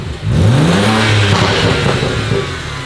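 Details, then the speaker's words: BMW E82 135i, N54 twin-turbo, 6-speed manual, just fitted with chargepipe, intakes, intercooler and downpipes, no exhaust leaks: a quick rev rises, then a loose metallic wastegate rattle as revs fall; typical N54 issue, fix is new turbos. "It's got what? Wastegate rattle. What does that mean? N54 things. What's the fix? New turbos."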